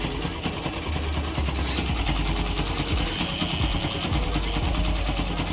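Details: Bike engine idling and revving: irregular metallic rattling tick over the exhaust note, pointing to a loose flywheel magnet.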